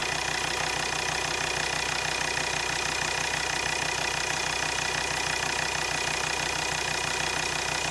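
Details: Volvo XC60 D5 diesel (possibly Euro 4) at idle. A steady fast tick, about three or four a second, rides over the clatter. Two injectors measured around 0.3 ohms, below the roughly 0.4–0.5 minimum, so they are failing.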